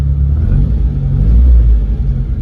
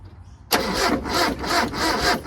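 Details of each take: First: Mitsubishi Pajero short-wheelbase farm truck, 4G54 engine with Weber carburettor, after timing chain repair, timing and carb fine-tuning and plug cleaning; startup settles into a deep steady idle rumble, brief throttle blips return evenly; running smoothly and healthy. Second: Mitsubishi Pajero 4G54 with Weber carburettor, started with rocker cover refitted after compression test: fires and holds a fast idle surging about twice a second that never drops; throttle stuck open, idle too high; timing later found miles out with chain tension lost.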